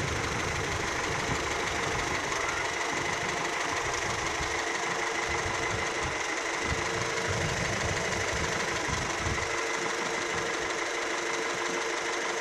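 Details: Older car warming up at idle in neutral, about 5–10 minutes: even hum with a constant mechanical hiss on top, smooth rhythm with no irregular knocking; sounds healthy.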